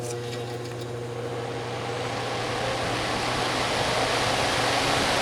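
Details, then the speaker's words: Dr Infrared DR988 5600W portable heater fan after replacing the rear motor piece that holds the armature: smooth, steady whoosh and even hum, with the earlier loud metal-to-metal screech gone; running normally. "It sounds like it should now. It's not making that loud metal to metal screeching sound. So it seems to be working fine right now."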